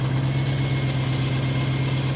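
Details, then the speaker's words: Abandoned V8 BMW M3, six-speed manual, first start on new battery, no dipstick: heavy lumpy idle with low throb and faint mechanical clatter; source unknown, suspected clutch-related as the clutch no longer works. "but it's running I can't tell what that noise is"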